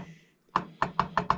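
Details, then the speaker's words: Chainsaw flywheel rocked by hand on the bench gives six sharp wooden knocks about every fifth of a second; loose flywheel, owner guesses missing keyway (not confirmed); both starter pawls busted. "flywheel you hear that that's the flywheel so i'm guessing the keyway is missing because it's not turning"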